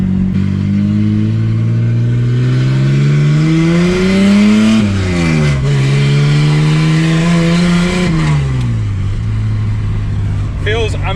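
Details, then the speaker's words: AU Falcon drift car with a replacement gearbox, checking that the clutch doesn't slip after the old box seized. Full throttle on a straight, heard from the cab: a very loud exhaust climbs steadily through the revs with clean changes and no rev flare. The clutch is holding. "there's a bit of a straight up here so I'm going to pull my foot down and make sure the clutch doesn't slip or anything God this car's so loud I forgot how loud it is"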